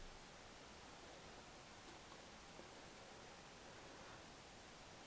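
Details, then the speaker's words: Corsair AX1200 power supply with replacement Noise Blocker Black Silent Pro PK3 fan turned down to about 900 RPM, camera about 300 mm away: soft steady airy hush, no ticking, rattle or bearing whine; quiet normal running. "and I'm just turning it down again and that's spinning there now that's spinning approximately 900 listen camera 300 mil"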